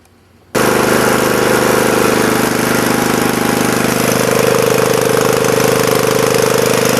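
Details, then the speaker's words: 1983 Snapper rear-engine rider mower re-powered with a new Briggs and Stratton engine on break-in oil, idling: steady, even single-cylinder putter with no knocks, misses or surging, charging wire putting out about 16-17 volts; runs perfectly. "wow this AB runs absolutely perfect"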